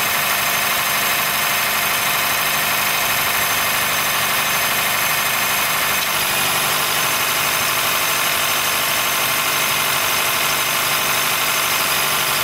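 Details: 2013 Honda Fit Hybrid (FIT3, DAA-GP5, L Package) squeals when air is below about 10°C and quiets after driving; thin steady high-pitched squeal over an even idle. Dealer found no warnings, judged it harmless; source not pinned down.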